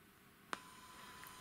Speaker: Notice something. Can you hear that? There's a whine on low volumes. That's not so good.